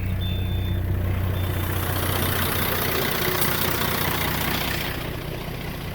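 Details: 2000 Peterbilt dump truck, Caterpillar 3406E diesel, after failed starter relay replaced fixed no-crank no-start following pressure washing: deep, steady idle about three pulses a second, no knocks or misses; normal idle.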